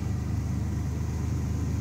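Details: 1999 Chevrolet S-10 Blazer cold start after a week unstarted in below-zero wind chill: smooth, even low rumble at steady idle, no ticking, knocking or stumbling; healthy cold idle.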